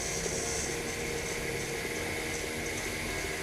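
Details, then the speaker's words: Bolde Smart Fountain Expresso water dispenser, cooling-kettle mini water pump running: steady loud hissing whir with watery rushing and a faint high whine. Pump still works, but the owner suspects its motor is failing and will soon stop. "Tapi yang untuk kettle pendingin tuh suaranya terlalu kenceng gitu."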